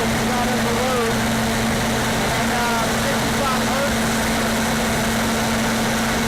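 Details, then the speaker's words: Standby generator fired up during a pre-storm test, no load and no amperage on it yet: steady drone holding one constant pitch, no misses, knocks or surging; running evenly. "so yeah it's not a reload so there's no amperage on it at the moment I will do it under load"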